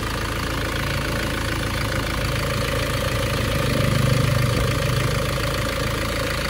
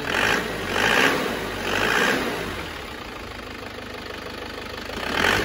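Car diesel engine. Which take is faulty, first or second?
second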